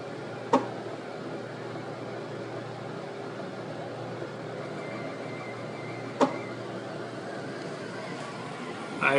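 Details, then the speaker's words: Flux 3D printer hums while printing with a sharp isolated click every few seconds from the extruder, even with oil filter used; nozzle unclogging attempt failed; earlier print test failed completely. "I'm trying to print another piece right now and using the oil filter, but still making this click noise."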